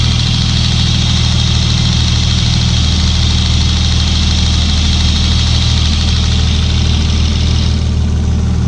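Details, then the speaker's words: Swapped car engine: steady idle with a light, quick tick of roughly three or four a second that grows louder with rpm when revved. The cause is unclear; the owner thinks it comes from somewhere in the engine bay. "parce que dans la vidéo on entend c'est bien le bruit c'est vraiment pas vraiment un plus synthétique qui se répètent vraiment il reste autant comme ça et juste quand j'accélère le tube tik qui s'intensifie avec les tours minute"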